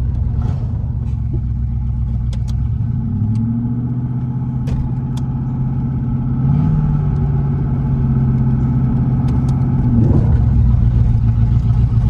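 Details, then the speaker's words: 1985 Chevrolet Camaro Z28 running first time after sitting 13 years, put in gear: engine strains with rough drone, tires squall, front brakes seized and not releasing; reported brake problems beforehand. Locked front brakes dragging. "I think the front brake's locked. Well, this is as far as we made it. Pulled up out of there, come down here, pulled up, and the brakes is locked up."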